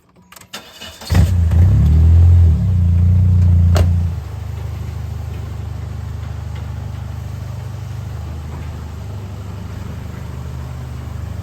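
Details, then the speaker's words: Plymouth/Dodge Spirit, before exhaust repair: cranks, catches, then idles with loud, deep, raspy drone instead of muffled hum; owner suspected a hole in the muffler. Exhaust leak. "I'm gonna have a look at what's wrong with the exhaust right now I'm assuming it's a hole in the muffler that's what it sounds like but we'll have a look"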